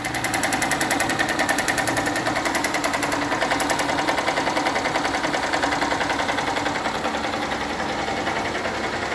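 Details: 2018 Honda CG 160 Start motorcycle engine idling with a dry, rattly knock, recorded before teardown: damage from lack of lubrication, probably from oil not changed on time or oil level not checked.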